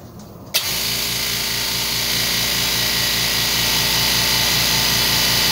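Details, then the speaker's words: Low-noise oilless air compressor running: steady high hiss over even motor hum with fast pulse; air leaking from crack in aluminium-alloy control/pressure switch box near coupler, likely overtightened when coupler replaced; switch assembly needs replacing. "자 에어가 새는 것이 지금이 제품 같은 경우는 이렇게 보시면 요기 요기 요기 지금 금이 같죠 지금요 부분에서 에어가세요"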